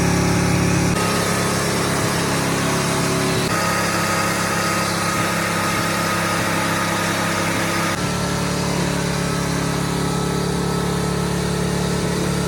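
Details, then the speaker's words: 1979 Ford truck V8 running on seven cylinders after a severed spark plug wire, held at high revs: ragged uneven lumpy roar from the dead cylinder, before the engine grenaded with coolant spraying. "I was just telling Clayton looking back I could do this to all my trucks all that happened was a severed spark plug wire what's the worst that could happen you know"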